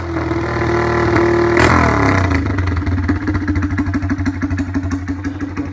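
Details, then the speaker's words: Honda MSX125 motocross build, restarted with exhaust end tip removed: revs hard then raw, popping, uneven, very loud idle from the open pipe. "ลองสตาร์ทใหม่ยังไม่ได้ใส่ปลายข้อนะปลายท่อถอดไปใส่R3กันนู้นนะครับ"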